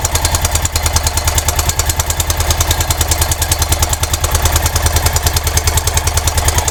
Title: Honda dominator nx650, 45.000km, 1999, bad and loud clacking engine sound problem.